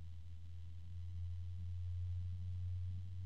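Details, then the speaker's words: Cooljag Everflow FB14025SL 3-pin fan with an EBR bearing, microphone right next to it: a steady, deep, even hum with a faint harmonic drone and no ticking or grinding. The fan runs normally and fairly quietly. "not too terribly loud and that's just with the microphone right there next to it so don't worry about that you're not going to hear that much noise in your case"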